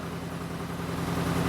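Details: Car with suspected head gasket failure, started after being pushed, out of gear: lumpy, uneven idle with beats dropping out of the rhythm, not running on all four cylinders.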